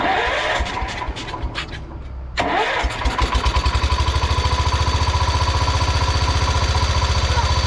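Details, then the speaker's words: 1971 John Deere 140 H1 riding mower, hard starting; gummy fuel filter suspected, tried without it: starter churns a couple of seconds, then catches and settles into an even thumping idle near four beats a second. Cause unclear. "Use a filter. That could also be giving you problems. Filter's pretty gummy."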